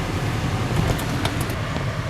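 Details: 2015 Ford C-Max plug-in hybrid, air conditioning on after a fix for the dash buzzing (humidity sensor): steady even rush of air with a low, smooth hum and no buzz or rattle; normal AC blower operation.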